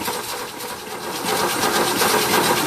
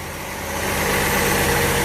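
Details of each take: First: Ford Falcon (1962 or 1963–64), believed 170 cubic inch inline-six, first start attempt after about 17 years unrun, fresh battery, has spark: uneven cranking chug of about three beats a second that never catches. Fuel isn't reaching the carburetor. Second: Ford Falcon (1962 titled, owner unsure, possibly 1963–64), believed 170 cubic inch inline six, first start after 17 years sitting in a field, mouse nest blown from exhaust; steady, even smooth idle, no ticking or misses: normal idle.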